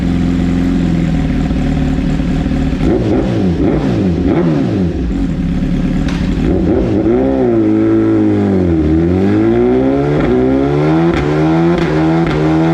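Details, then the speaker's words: 2018 Suzuki GSX-R1000R on the dyno after an ECU flash that reduced quick shifter kill times to fix the factory delayed shifting. Engine screams through quick, crisp upshifts with no stumbling. Shifting is now smooth. "So I have reduced the kill times in the quick shifter, and it has definitely helped smooth it out a lot."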